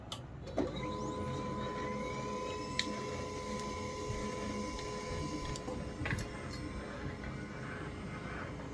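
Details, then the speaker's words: HP LaserJet M1005 MFP printer after power-on: low motor whir with faint steady whine and soft clicks that never settles; stuck continuously initializing instead of becoming ready, traced to a dirty LSU (scanner) cable connection. "Initialise जो है continue हो रहा है। अभी तक से ये initialise हो रहा है, जबकि अभी तक इसको रेडी हो जाना चाहिए था।"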